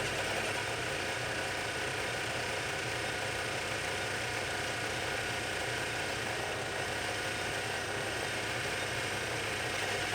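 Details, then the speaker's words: Boring out the backgears for a project lathe on a light skin pass: a steady, even cutting hiss with no ringing or squeal. Clean boring cut without chatter. "and as you can hear there's no chatter it's just cutting it's just cutting St the throw chips"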